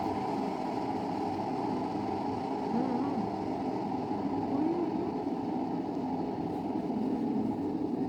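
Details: Electric kettle after disassembly and reassembly, indicator bulb lit: steady low roar of rolling boil with no rattles or buzzes; working normally.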